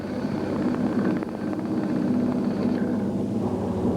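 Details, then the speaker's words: Record cast-iron woodturning lathe after a belt speed change, motor weight tensioning the belt, turning a block into a cylinder; even steady low drone with light tool scraping, no knocks, normal running. "Now we've changed the speed, you'll find that it'll run quite nicely, running nice and smooth."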